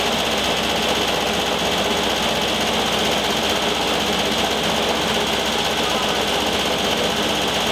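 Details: 1973 VW Thing Type 181 that sat for years, air-cooled engine running steadily: a constant hiss and whirr rides over it. Owner feels something lodged inside the cooling fan housing and plans to take the belt off.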